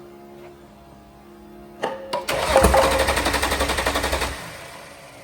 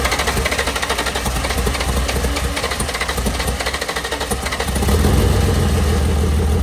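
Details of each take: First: VL Berlina turbo build cranking after coil checks: starter churns with even compression pulses, roughly four a second, for two seconds, but the engine never fires; cause not confirmed. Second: VL Berlina turbo build being cranked after coil changes and fuel-pressure worries: even cranking pulses about five seconds, then it catches and settles into a steady smooth idle; starts and runs normally.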